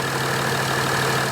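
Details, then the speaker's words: Turbo diesel Mercedes CDI, after fitting larger main injection pump, larger injectors and base tune: diesel clatter at idle with a thin high chirp riding steadily on top, likely from the accessory belt drive; chirp suspected to be a bad belt tensioner. "right so we think the the chirping is a bad belt tensioner let's take a look"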